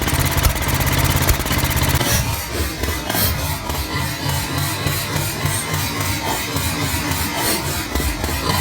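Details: Old Norton 500T single: an uneven, stumbling thump with skipped beats and sharp pops, a carburettor misfire with backfires.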